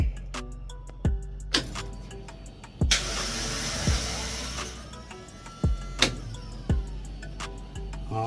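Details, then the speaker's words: F100 with Coyote swap, first start attempt: short bursts of starter clunks and whirs with no catch or firing; starter seems to spin without engaging. Starter suspected bad or not kicking out, not confirmed. "right sounds like the starter is gone either the started gone or it's not kicking out so it ain't all right so there is a problem with the starter"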